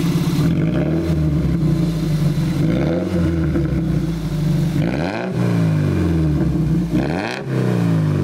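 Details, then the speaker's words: Toyota MR2 ZZW30 petrol four, repaired after rod bearing trouble, with homemade TIG-welded stainless exhaust and switchable silencer valve: revs smoothly up and down several times, crisp exhaust note, no knock or tapping. "Quand c'est avec le silencieux, on l'entend de manière subtile, quelque chose que j'aime quand je vais utiliser la voiture dans la rue, et quand je l'utilise pour des lots, je peux désactiver le silencieux et le faire sonner."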